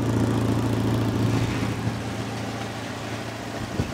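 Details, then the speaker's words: Renault Clio petrol engine idling: raspy, puffing exhaust leak from a completely broken exhaust pipe at the catalytic converter, which also shows impact damage. "Araçtaki egzoz kaçağı da şuradan arkadaşlar. Görüyorsunuz burası komple kırılmış. Konvektörün olduğu nokta. Ses de geliyordur."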